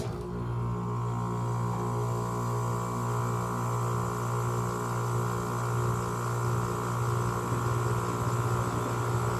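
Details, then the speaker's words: GE 5150 window air conditioner (model AGR05LJG1) with an LG rotary compressor, started after sitting a while: heavy steady low hum with a buzzy edge right after start-up, angrier than a rotary should be, like a Gold Star; not cold yet. "Oh, this is an LG rotary. Compressor on these units are not really supposed to be angry, but it tends to be it is. Sounds like a Gold Star right there."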